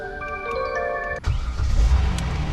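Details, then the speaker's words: 2015 Kia Sorento just after fuel pump replacement: a short chime, then the engine catches at once with no hesitation and settles into a low, smooth run; healthy start. "There it is. God, sounds like a brand new truck now. I think no hesitation to start. That's what she needed right there."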